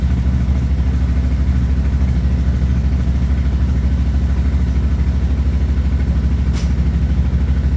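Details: CF Moto 800XC ATV with a charging issue, idling after replacing the stator charging controller: an even, low thumping idle at about three pulses a second, with no knocks or misses.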